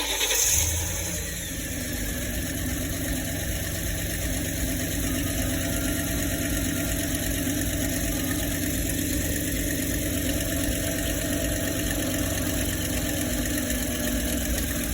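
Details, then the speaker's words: 2008 Ford E-series 5.4 V8: rough uneven idle rumble, cylinders 5–8 (left bank) all misfiring; bank 2 camshaft timing suspected off, internal engine issue; bank misfire at idle. "hey gang I'm inside a 204 Ford icon line 5.4 with with the complaint of misfire um left side of the engine all four cylinders"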